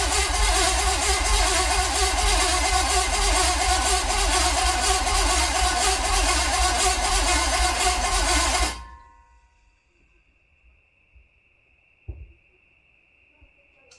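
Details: Mismatched small-block Chevy 350 for a 1959 El Camino, after refitting distributor, wires and coil: cranks about two turns per second for nearly nine seconds, sounds like it will start but never fires.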